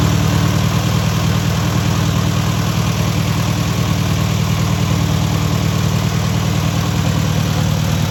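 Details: First start and break-in of a newly rebuilt air-cooled VW 1600cc flat-four: steady, even idle with a smooth low throb, no knocks or ticks; normal idle.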